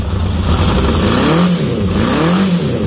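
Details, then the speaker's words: 1978 Honda CB750F Super Sport four-cylinder motorcycle during restoration, cold first start of the morning on choke with a jump pack: revs up cleanly twice and drops back smoothly, no knocks or misses; oil light off, healthy engine. "It's cold. Listen to that, guys. 1978 at its finest."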